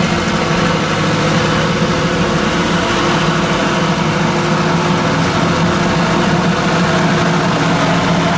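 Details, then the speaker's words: Ford 800 tractor pulling a disc under load: even, steady engine note holding speed with no stumbles or knocks, running well again after earlier rough running; cause of earlier trouble unknown. "Seems to be running really good now. I don't know. That's freaking weird."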